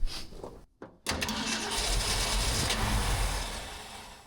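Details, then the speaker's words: 1967 Shelby GT-500 with manual transmission, locked in a container for 40 years, on the first start attempt: steady cranking at about 2.5 turns a second with no firing. It appears to be drawing fuel and shows 40 lb of pressure, yet it won't fire. "Is it sucking fuel? Yeah, it's just not firing it."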